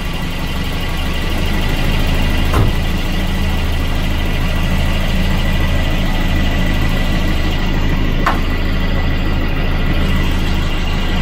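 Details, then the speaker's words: Volvo 240 with Redblock B230 engine (the quiet motor, for comparison): steady, even low idle with no knocks or misses, smooth as a sewing machine; normal healthy idle. "it's like a sewing machine isn't it it's got such a smooth idle"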